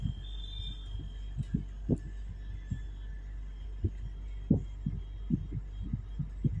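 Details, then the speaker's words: Window AC compressor: low, uneven heartbeat-like thumping pulses over steady hum that gradually grow; vibration so strong it carries room to room and seems to shake the house. "यह आवाज बहुत बाढ़ जाता है एक room से दूसरे room में आवाज आने लगता है ऐसा लगता है की घर वाइब्रेट कर रहा"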